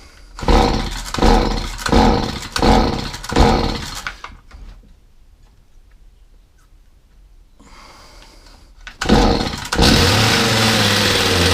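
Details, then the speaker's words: Stihl HS45 hedge trimmer, previously hard to start, after a service, priming and choke. Several pull bursts, then it catches and revs to a steady high buzz with no smoke or bogging. Runs healthy. "it started off okay it's not smoke it's not bogging it's not showing any signs of anything that it shouldn't be d"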